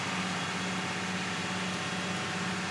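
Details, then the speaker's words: 1995 Lincoln Mark VIII, no throttle: steady drone with fan hiss, idle sitting high after start (was ~2000 rpm), still 1100 rpm in gear; vacuum leaks ruled out, brake booster blocked off; cause unknown. "Now if I put it in gear, of course, it's gonna drop, but it's still sitting at 1100 RPMs, and it's not where it needs to be."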